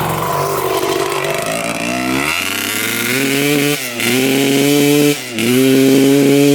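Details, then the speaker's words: 1995 Honda CR250 two-stroke with its original flywheel refitted: revs climb, then sag and stumble on each throttle blip instead of clearing; the bog is traced to the faulty old flywheel. "w it was the flywheel you got to be kidding me wow"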